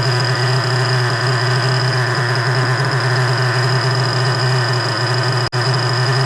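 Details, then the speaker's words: Freshly rebuilt 3.3 engine with new bearings, after low-end carburetor mixture adjustment: a smooth, even idle with a steady low hum, no hunting or stumbles. Idling normally after adjustment. "We're doing good. We're doing [ __ ] good. We're about there, guys."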